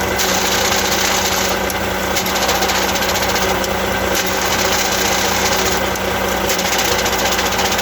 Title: eaton easy pedal advantage clutch abnormal sound